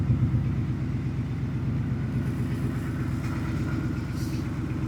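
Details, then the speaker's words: 2019 Ford F-150 5.0L V8 after fixing the cylinder 4 misfire, idle settling down after start-up: low, even V8 burble with no stumble or skipped beats; normal idle. "this thing's good so I'm going to shut this thing off"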